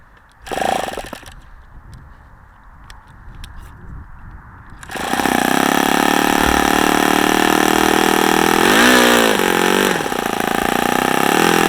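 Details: OS FS-40 Surpass four-stroke glow engine, first run, high-speed needle 2 turns open, low speed, idle and air bleed unadjusted, started below full throttle: catches after quiet seconds, holds steady even high buzz without misses or sag; normal running.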